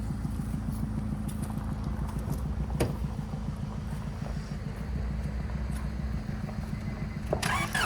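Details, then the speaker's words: Cheap used car with a tiny battery, on the first start attempt before using a booster pack: the starter churns steadily at about three and a half pulses a second but the engine never fires, a crank, no start, likely from the weak battery. "That was a no dice. Grab the booster."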